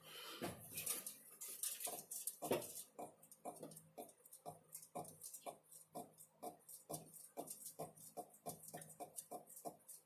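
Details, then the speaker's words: 2019 UAZ Patriot, rubbery squeaks about twice a second under the dash while driving: the clear air-conditioner drain tube, roughly 12-14 mm, rubs against the gearbox bell housing as the gearbox and transfer case move. "слышно не слышно но такое ощущение что кусок резинки просто трется"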